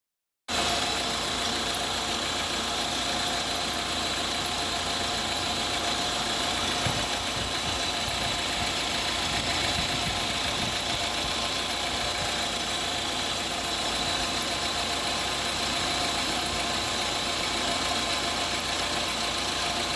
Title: Hissing sound in engine due to belt problem